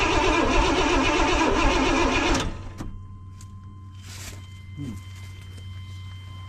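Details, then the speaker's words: 1992 Chevy Blazer that sat 12–15 years: starter spins about three times a second for two seconds, no catch, no fuel pump heard running; crank no start, fuel pump suspected. "Well, I didn't hear a pump running. Did you hear a pump running? Because I didn't hear a pump running."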